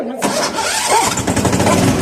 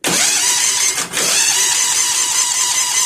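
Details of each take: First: Bad Boy mower after its repairs: a short crank, then it catches on choke and runs with a rough, uneven rumble before settling into steady firing. It now starts normally. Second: Bad Boy mower after a new starter was fitted: the starter whirs and spins the engine steadily but it never fires. Crank with no start; a spark tester shows no spark.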